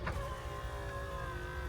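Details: 2000 Jeep Cherokee XJ, one of the working windows before the driver window motor repair: steady even motor hum about two seconds without catching or straining, ending in a soft thump; normal power window operation.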